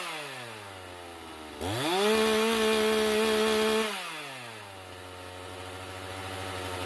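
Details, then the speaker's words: Stihl MS391 chainsaw, before muffler mod, high reading 11,600: snaps to full throttle then revs sag slowly and hang before suddenly dropping to idle; hanging idle, possibly low jet needing tuning, not confirmed. "coming back down to idle though it's hanging for some time you can see there i did it a few times that's not a real comforting symptom"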